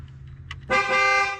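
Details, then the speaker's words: 2011 Ford F150 5.0 with no horn: grounding the terminal on the module side of the faulty clock spring gives one strong, steady, clean horn blast; the circuit is complete and the horn is fine, so the clock spring is bad. "But I do know that the circuit's complete and obviously everything works once I put ground to this terminal."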